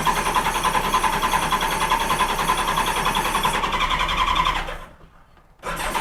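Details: 1986 Honda Goldwing GL1200: fast steady cranking at about three to four beats a second that never catches, then cuts out. No-start.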